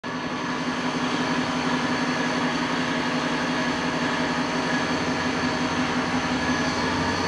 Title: Noisy Spindle